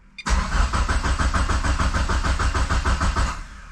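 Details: GSX engine on a FuelTech ECU with a new tune, first start attempt: starter churns steadily at about two hundred beats a minute with no firing; ECU shows no crank signal, culprit later found at the CAS connector. Crank no start.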